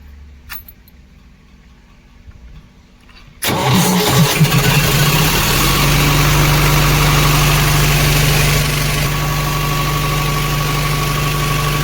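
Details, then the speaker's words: Cement bulker diesel after the starter motor's shorted armature was repaired by soldering and refitted: the starter catches and the engine fires straight up into a steady, even idle with a low drone; normal start. "इंशाल्लाह सही हो गया।"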